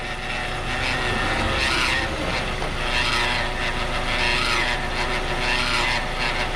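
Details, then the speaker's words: Hyundai Veloster automatic transmission: a steady whirring drone with a hissing whoosh swelling about every 1.5 s, which changes a little when shifted into drive; a recurring fault, the third such Veloster seen at the shop. "o barulho na transmissão engata o drive aí aí muda um pouco tá vendo"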